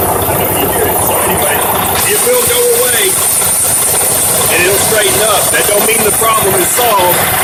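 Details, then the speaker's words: 2016 Freightliner diesel at idle just after start: wavering high chirps come and go from the serpentine belt tensioner pulley, which sang more earlier; worn tensioner pulley bearing going bad, to be replaced. "so it was sing more just a minute ago and then it got to this point where it's just chirping"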